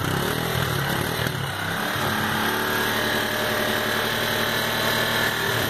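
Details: Sundown MAX 125 single-cylinder motorcycle after a top-end teardown to cure a loud engine noise: revs up and settles back smoothly, with no valve ticking over the exhaust note; normal running.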